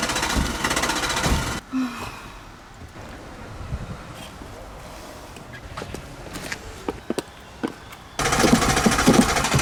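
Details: Old Peugeot 106 cranked hard with pedal pumping: rapid chugging crank around three beats a second with brief splutters and sputters, never catching and running; crank no-start.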